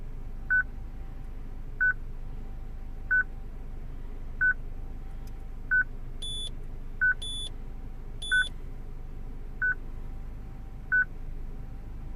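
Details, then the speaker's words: 2006 Citroen C3 petrol, replacement radio from another car not coded to this car's VIN, radio otherwise working: steady short high beep about every 1.3 seconds, radio security lockout; fixed by programming the radio. "Okay, I'm sure you can hear it, this constant beep. The radio works. Okay, the radio works fine, but obviously it does that."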